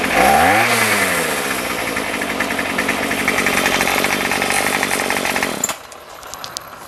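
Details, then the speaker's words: Remington pole saw two-stroke after a carb rebuild and fuel-line replacement, no head fitted and so no load: a high, steady buzz that revs smoothly before shut-off; it may be slightly rich; running normally. "it's hard to adjust the carburetor because there's no load on it I think it might be just a little bit on the rich side"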